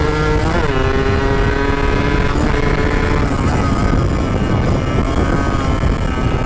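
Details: RX two-stroke started for the first time after a from-scratch restoration, piston pin not yet replaced: a crisp buzzing note that climbs and settles cleanly with the throttle, with no misfire or knocking; the engine runs healthy.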